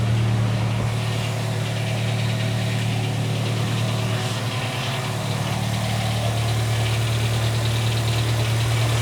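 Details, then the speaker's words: 2007 VW Gol G4 1.0 8v flex, about 61,576 km, starting up and idling: steady low hum with a light, fairly regular tapping about three per second, an engine knock. It began after switching to 5W40 synthetic oil; owner suspects cylinder or piston-pin clearance, not confirmed. "eu vou dar a partida no carro para você perceber que ele está apresentando um barulho no motor"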